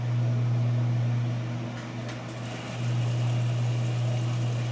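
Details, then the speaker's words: Whirlpool (Inglis) top-load washer entering the final spin after its second drain: steady low drum-motor hum with an even rhythmic swish as it ramps up to spin speed; smooth, healthy spin. "all right moving into the final spin it just drained all the water out for the second time that's gonna get up to speed on that spin"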